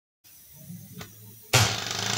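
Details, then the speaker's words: 3D-printed single-cylinder air engine with bearings, improved from 5,000 rpm: sudden air rush into fast, even pulsing hiss with no knocks, revving cleanly to 11,000 rpm. "the engine ried up to 11,000 RPM and did it so reliably"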